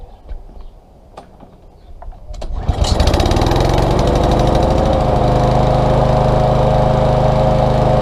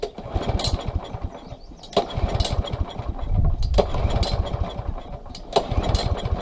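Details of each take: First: Small engine stored September to June, wouldn't start; after cleaning the varnished carburetor jet with carburetor cleaner and compressed air. A few pulls, then catches and settles into steady even constant-speed run; normal running. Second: Small pull-start engine, no choke, stored with fuel in carburetor bowl; runs on starting fluid, so plug, compression and air are fine. Repeated pulls every two seconds without firing; no-start from lack of fuel.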